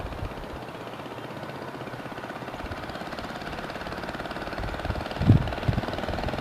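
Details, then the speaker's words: Baja Dirt Bug minibike with an old, worn 2 hp Briggs & Stratton side-valve engine swapped in for the original Chinese engine: slow, steady single-cylinder putter at low idle with even firing and one brief handling bump; running smoothly. "Sounds good. Sounds pretty good. Low idle."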